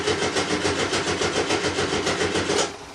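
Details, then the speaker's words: 1975 VW Type 2 campervan, cold, unstarted for about five weeks, new battery: starter churns about three and a half beats a second without catching, then drops away; normally needs several tries while the fuel pump primes. "e normally takes a few times to get started need to let the fuel pump kick the fuel through and it should not be started in a while especially in particular when it's cold"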